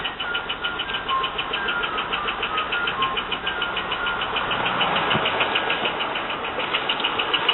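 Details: 2002 Holden VU LS1 V8 idling with a steady, sharp knock about three taps a second that comes and goes, seemingly from right bank rockers; appeared after a long drive, oil light sometimes comes on.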